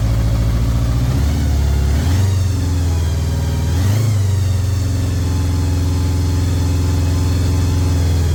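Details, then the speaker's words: 1983 Honda GL1100 Gold Wing, barn-stored 9–10 years, cold start with the choke partly on: it catches quickly after a couple of blips, then settles into a steady, even low idle with no knocks or misses. Normal idle after cold start. "I cannot believe this thing started that [Music] easily I still got the choke on a little bit while warming it up"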